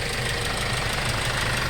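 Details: Hyundai Starex D4CB diesel, replacement engine fitted for blow-by, running over an hour and hot at normal temperature, no leaks or spatter: warm, even idle with light clatter, steady rhythm, no knock or misses; healthy idle.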